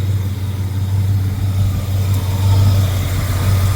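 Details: 1977 Mercury Cougar V8 after fuel pump replacement and a new hose rerouted to the fuel pressure regulator, steady 5 psi, cold April day: deep even idle with slight swells, earlier clacking gone, no ticks or misses; normal idle.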